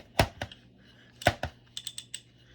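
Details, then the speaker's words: Luxor 3L-A spinning reel after cleaning, lubrication and greasing of the clicker, with an extra drag washer added: a few crisp uneven clicks as the spool is turned by hand, so the drag clicker works normally. "And you can hear the clicker operating."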